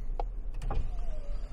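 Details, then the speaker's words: GM truck passenger window driven up via the scan tool's door-module actuation test: steady motor whine sagging in pitch and slowing near the top because the window regulator is worn; it still closes fully. "now this one needs a new regulator so it slows down towards the top but she'll make it there she went all the way up"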